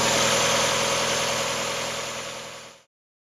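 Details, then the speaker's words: Mazda MX5 after an oil flush and change from 10W40 semi-synthetic to Mobil1 0W40 fully synthetic: quiet, even idle with only a light injector tick and no lifter clatter; lifter ticking cured, normal idle. "At the moment, the loudest sound you can hear is actually the sound of the injectors. I couldn't even hear those before."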